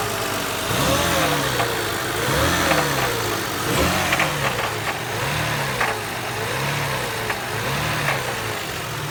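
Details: 1999 Toyota Harrier petrol engine revved repeatedly: sharp irregular knocks above the rising and falling engine note; cause unknown to owner.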